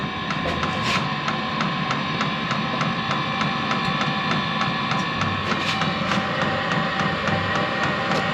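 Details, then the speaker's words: HCalory SS2 diesel heater in a garage at startup, drawing about 20 W: fan whirs steadily while the priming fuel pump ticks lightly about three times a second as the fan comes up to speed; normal startup. "okay okay you hear the fuel pump priming right now it's uh doing a prime now the fan is slowly coming up to speed"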